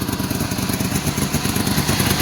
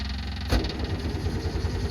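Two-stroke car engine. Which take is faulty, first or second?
second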